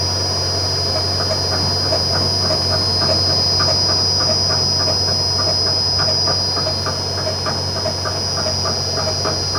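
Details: 40-ton overhead crane running: even clicking knock about three times a second under a constant high whine; abnormal mechanical clunk, cause unknown.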